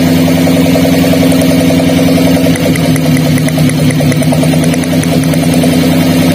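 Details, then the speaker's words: Daihatsu Gran Max with a limping, low-power engine at idle: lifting the cylinder 4 coil gives no spark sound while cylinder 3 sparks. Lumpy idle with a regular stumble in the exhaust beat, a misfire from a dead ignition coil. "Kami jelaskan untuk kawan-kawan yang ingin tahu cara mengecek atau menentukan penyakit di mobil Grand Max yang mengalami pincang seperti ini"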